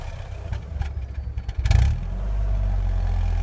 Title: 2001 Ford Focus miss fire rough idle for sale on eBay